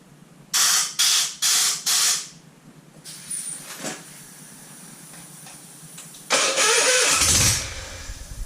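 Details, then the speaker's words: Citroën 2CV engine with carburettor stood empty 20 years, throttle open with airline: four short cranking bursts and a blast of air, never catches; ignition confirmed fine, carburettor not working. "So as you can see, there's nothing wrong with the ignition at all. It's spot on. It's, for some weird reason, the carburetor isn't working, so I'm going to have to strip it down and have a look."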